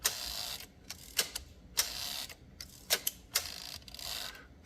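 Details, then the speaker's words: Olivetti Lettera 22 typewriter, no silent return: quick bursts of bright, dry clicks as the carriage is returned, teeth dragging over the escapement dog; normal carriage return ratchet. "so if I hit the carriage turn you can see you can hear it as it draged across the"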